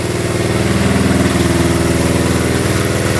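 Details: 1972 Honda CT70 single, bought at auction with a bogging problem, thumps evenly at about four beats a second in neutral after rewiring, steady pitch with no misses or knocks, during the light check; runs without smoke: normal idle.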